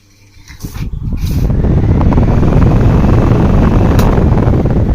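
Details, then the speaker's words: Usha table fan after fixing slow running and a stuck motor: blades cleaned and refitted correctly on the shaft pin. Run at top speed, it rises to a smooth, steady whoosh with no rubbing or knocking, spinning freely. "Fan அதி வேகத்தில் ஒரு sound உங்களுக்கு நல்லாவே கேட்டிருக்கோம்."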